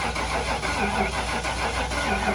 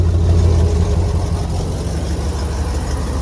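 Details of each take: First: 1996 Ford F-250 with a 460 big-block V8, rat-damaged, cranked with starting fluid sprayed in the intake. Steady even cranking with no firing; no spark. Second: 1996 Ford F-250 with 460 big-block V8, rat damage, timing set by ear: deep, even V8 burble, steady with no misses or knocks; normal idle, slight exhaust leak suspected.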